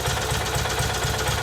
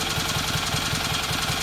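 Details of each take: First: Kohler Magnum M18 from a Cub Cadet 1882, rebuilt, cold on a test stand at about 1,000 rpm idle with 30 psi oil pressure: light even clack; owner suspects crank or cam end play. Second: Kohler Magnum M18 twin on a test stand after complete service and mixture tuning, for a Cub Cadet 1882: even steady firing pulses at settled idle, no knocks or misses; normal idle.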